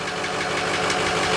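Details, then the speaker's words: 2005 Ford F250 6.0 Powerstroke diesel with replacement engine: rough idle with light fast tick over the clatter; tick grew louder over time, owner suspects internal engine problem, going to shop for rebuild. "yeah yeah I started hearing the ticking in my engine died I'm very in tune with my engine something's not right something's not right with this engine tick got louder louder louder"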